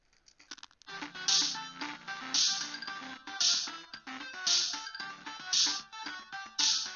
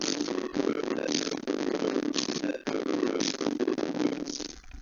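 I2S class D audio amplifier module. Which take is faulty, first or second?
second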